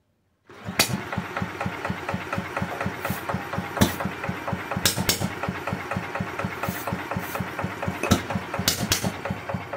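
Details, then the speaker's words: Villiers Mark 10 side-valve engine, not run properly in 30–40 years, ignition just fixed: kick-starts bring uneven stumbling bursts of firing that never settle; fires briefly but won't keep running, owner suspects fuel starvation. "ah right now i think she's just being starved of fuel um i'll give it another go"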